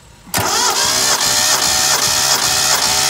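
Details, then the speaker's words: 1972 Datsun Cedric six-cylinder cranked by the starter for a compression test on the fifth cylinder, reading 11; steady, even pulses with none weaker. Readings are similar across all cylinders. "So far so good. Compression quite similar for all of them."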